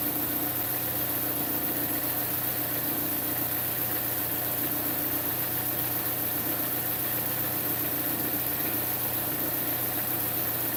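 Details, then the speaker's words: Engine at steady idle with fast raspy puffing from an exhaust leak past the catalytic converter at a broken flex pipe; an injector tick also heard. "I hear I hear the exhaust the exhaust leak down past the cat on the back side of the cat in that it's basically in the flex pipe because there's a flex pipe in it the flex pipe is broke"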